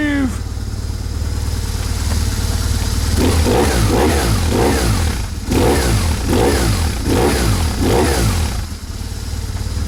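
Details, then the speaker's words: BMW R1150GS twin after fuel filter and fuel pump service: settles into an even, steady beat and pulls cleanly through repeated blips with no misfire or stumble; owner says it sounds smoother than before; normal running. "And I think that sounds quite good. My neighbours may disagree. it's smoother."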